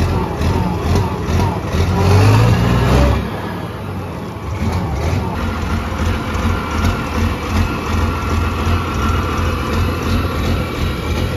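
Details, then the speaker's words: Six-cylinder Fordson Major tractor puller diesel with turbo (no air intake fitted), test run after twin-plate ceramic clutch upgrade: deep, even rumble rising briefly under throttle, then settling steady and unlabored; clutch works well, no drag. "all right that's it it's ready for a season of track to pull in the clutch works well it doesn't drag doesn't bite"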